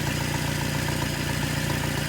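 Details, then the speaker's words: 1978 Datsun 1500 Ute GN620 after 20 years in a shed, with a new aftermarket carburettor fitted, running on 20-year-old fuel without a temporary tank: smooth, even idle with a steady low beat, no misfire or knock. "oh wow okay she's running she's running without a temporary fuel tank new little beauty they're making progress folks"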